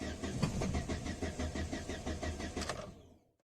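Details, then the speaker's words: No-start vehicle during step-by-step diagnosis; starter churns the engine at about three beats a second for three seconds, never catches, then stops; cranks but won't start. "When an engine won't start, there are three main components we always suspect first."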